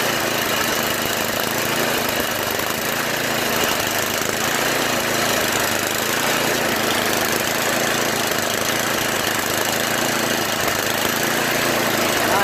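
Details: Yard Machines MTD 8HP 24-inch snow blower engine, after its cracked oil breather overflow tube was cut and rerouted over the fuel line following an oil leak; holds a steady, even run with no misses, surging or knocks.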